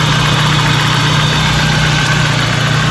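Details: 1992 BMW 318i idling after A/C compressor bearing replacement: smooth, even low idle with a steady hum and no squeal or rumble from the belt drive; the noise from the old compressor bearing is gone, normal idle.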